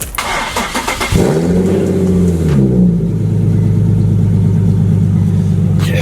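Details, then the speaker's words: Nissan 370Z exhaust at cold start and idle after fixing its idle rattle with hose clamps: cranks, catches, revs briefly, then a steady even idle with no rattle; normal exhaust sound. "yes yes yes normal exhaust sound"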